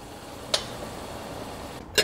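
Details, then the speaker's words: Mazda Atenza, brake applied in reverse gear: two sharp single clunks about 1.5 s apart; the dealer couldn't fix it; pads show large gap, noise thought to come from steering knuckle area, cause unconfirmed. "这个车的问题就是挂倒档踩刹车异响啊。"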